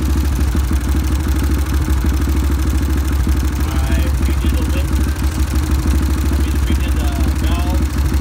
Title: Ticking noise